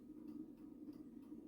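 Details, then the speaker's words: Antique pendulum mantel clock heard through an amplifier clipped onto the movement: crisp, evenly spaced tick-tock about two beats a second with equal gaps in a quiet room; the clock is perfectly in beat. "Okay, so that is the clock perfectly in beat. That's what it should sound like when it's in perfect beat. Even tick tock, tick tock. It's even."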